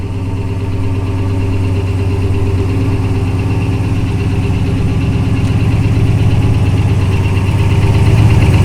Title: Rod Knock, Knock, Knocking on Heaven's Door